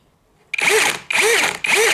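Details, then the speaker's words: Litheli U20 cordless drill keyless chuck being twisted shut: three short bursts of sharp ratcheting clicks as it locks normally, though the chuck had still loosened at the end of drilling. "Ihr hört es ja klicken. Also er ist zu und es hat auch geklickt."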